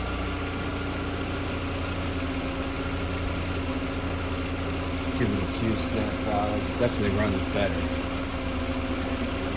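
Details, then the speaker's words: 2005 VW Beetle (P0455 gross EVAP leak) after replacing faulty fuel pump and its faulty gasket: steady, even smooth idle drone with no knocks or misses. "still rich this fuel pump is definitely doing what it's supposed to do"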